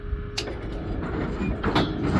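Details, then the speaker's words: GSX pinsetter sweep wagon in guard position, run through once: short steady squeal at the start of the sweep's travel, then clunks and rumble of the mechanism; squeak from a dry bushing needing lubrication. "So, let's stop it right about there. That's where we heard the squeak."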